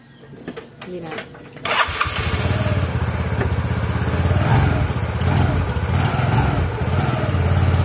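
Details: Yamaha Mio Fino scooter with noise from crank side, clutch case opened for clutch bell job: after a quick start it idles with a rough low drone and faint hiss; clutch bell found scratched, worn clutch bell.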